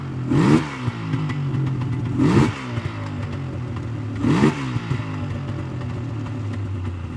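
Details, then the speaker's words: 1999 Yamaha Vmax 700 triple snowmobile, warmed up: revs rise in bursts and sag through mid throttle, bogging, though idles well and pulls at high rpm; one plug lean, suspected bad crank seal or fuel starvation on that side. "well seems to idle well it opened up real good when you get into the high RPMs but like mid throttle she's just"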